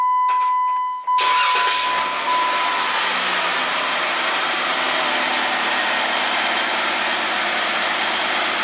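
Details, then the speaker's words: 2017 Jeep Rubicon after a repair needing one bolt, final exhaust phasing test: a short tool beep, then the engine settles into a steady, even idle that purrs with no rattle. Normal idle. "love it it purs no more rattling"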